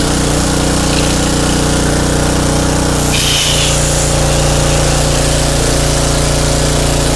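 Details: Craftsman pressure washer with 5.5 hp Briggs & Stratton Intek 190, gifted non-runner, after carburetor cleaning: steady buzzing run at constant speed with no misses or surging; running fine now.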